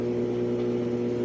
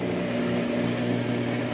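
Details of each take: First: Brastemp Ative 11 kg washer that won't wash or spin, with motor capacitor already replaced: steady low motor hum that never speeds up as the drum tries to turn but won't, as if locked underneath; seized drum. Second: Brastemp Ative 11 kg washer after capacitor replacement, run on spin with the lid open: steady motor hum as the drum engages and runs up smoothly, with no grinding or knocking; normal spin.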